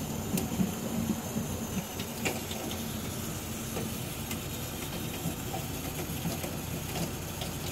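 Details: Beretta bithermic boiler (no plate exchanger) heating hot water: faint irregular ticks and sharp knocks over a low rumble, probably water boiling in a limescale-clogged exchanger; stops once hot water is closed; fix is acid descaling pump.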